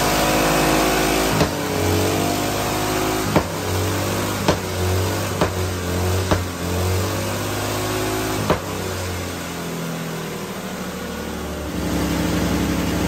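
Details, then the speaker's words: Small hydrogen-fuelled engine with its usual water injection swapped for methanol: on the methanol-hydrogen mix it holds a fairly even note with a few sharp pops and a brief dip. It runs better than on petrol-hydrogen, needing more hydrogen and an idle tweak. "Okay, so that was the the methanol and the hydrogen mix, and that ran a lot better than it did with the petrol and hydrogen mix."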